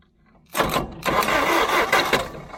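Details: Hesston 620 swather that sat about 10 years, cranked after cleaning the battery cable connection; the starter turns the engine in uneven bursts for a couple of seconds and it turns freely, not seized.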